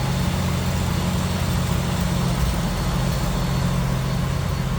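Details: 1986 Jeep CJ7 4x4 engine bay at idle, hood open; power steering, HEI ignition, newer plugs and wires, new radiator; smooth, even idle with steady deep beat, no tapping, misses or squeal. Normal idle.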